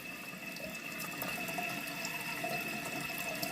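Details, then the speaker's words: Toilet tank with Fluidmaster fill valve and flapper being replaced: water keeps hissing into the tank with a thin whistle past the set water line and never shuts off, because the flapper is leaking. "okay I had to twist oh but it keeps going where's the water draining to is it the flapper it's the flapper y'all hear that"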